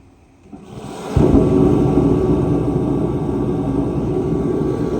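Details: 140,000 BTU Mr Heater fan-forced diesel heater, a few years old with heavy mouse damage, after cleaning, fuel pressure left at about 6.5 PSI: lights with a thump, then a steady, even roar of fan and flame with no sputter or surging, not overpowered.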